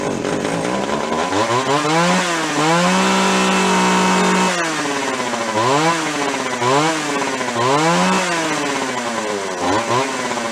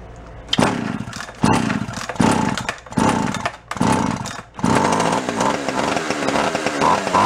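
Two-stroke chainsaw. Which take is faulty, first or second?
second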